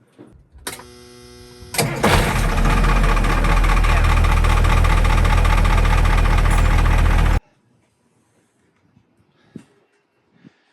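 A short crank, then the diesel catches and settles into an even, steady low rumble for several seconds before shutting down: starter works.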